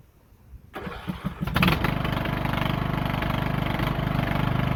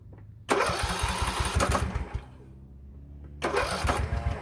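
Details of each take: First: Lawn tractor that quit in use, after oil change and new push rod: after a few cranks catches and settles into a steady, even single-cylinder putter with no knocks or misses; running healthy. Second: Poulan Pro 18.5 HP lawn tractor that quit in use, oil barely on the dipstick: two bursts of quick, even cranking with light puffing from the muffler and no catch. Low compression, suspected open exhaust valve; the fix was a new push rod.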